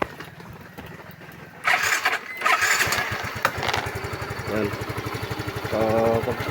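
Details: Yamaha Mio i scooter that would not start after a blown fuse, now wired through the ignition bypass, with charging at 13.5 V; brief crank, then it catches into steady, even firing; normal start.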